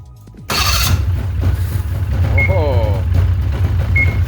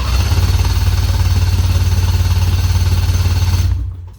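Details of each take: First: 2004 Ski-Doo GSX 600 HO snowmobile, after a big backfire then no start, fixed by replacing the spark plugs: engine catches at once after a short crank and settles into a steady, even two-stroke idle; healthy start. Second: 2004 Ski-Doo GSX 600 HO two-stroke snowmobile, giant backfire on startup followed by no start: the starter spins the engine in a deep, steady thump of about 3.5 beats a second without firing; spark plugs found wet-fouled.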